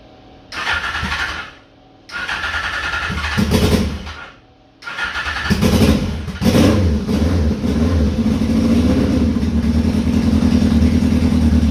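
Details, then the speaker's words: 2002 Yamaha Fazer 1000cc, cold start after sitting over two months: short cranking bursts, then catches, revs cleanly and settles into an even steady run; engine running normally. "so yes everything looks fine the engine is just running absolutely fine"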